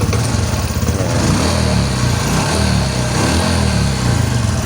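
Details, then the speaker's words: Honda XRM125 FI after tensioner work and oil bleed: small single revs up firmly and evenly, earlier excessive noise gone, no rattle or ticking from the top end; healthy. "So normal na normal yung andar na ng makina. So natanggal na yung sobrang ingay kanina. Okay? Kahit biritin mo, no?"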